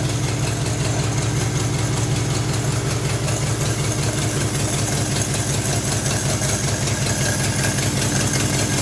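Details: Mid-1940s Ford F5 one-ton dump truck with flathead 8BA V8, first start in years after freeing stuck valves: steady low rumble with even firing and no misses or knocks. Accelerator pump is dead, carburetor primed by hand and due for rebuild.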